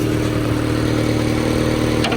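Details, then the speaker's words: Turbo Miata warm after drifting (coolant up to about 180°, now 140), exhaust tied back to fix knocking slap: steady even idle, smooth low rumble, no rattle or knock from the exhaust; normal idle. "So, everything's looking good. No weird sounds."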